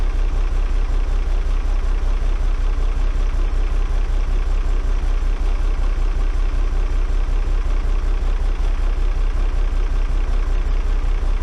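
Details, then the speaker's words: Cummins 6BT six-cylinder diesel in a bus, lacking power, smoky at start: steady idle about eighty beats a minute with a random dropped beat every couple of rotations; not running on all cylinders. Intermittent misfire at idle, cause unconfirmed. "hear that random beat every now and again it's missing every couple of rotations it's missing a beat firing and then it stops firing"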